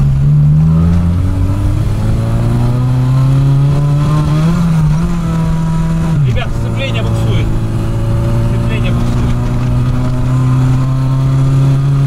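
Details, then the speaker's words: VAZ 2107 road test after revival and adjustment: engine holds a steady, strained drone in third gear with small rev flares that build no road speed; the clutch is slipping. "Вот ребята третья передача самая такая показательная ребят сцепление буксует у парня ребята сцепление буксует"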